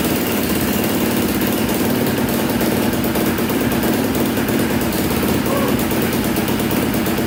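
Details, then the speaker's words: Polaris Predator 500cc single-cylinder quad after valve repair restored compression, started right away on choke: busy, even chatter without stumbling or odd knocks; running properly, flywheel keyway still suspect. "you know fired up right up pretty much right away after i choked it and it sounded really good like i said before"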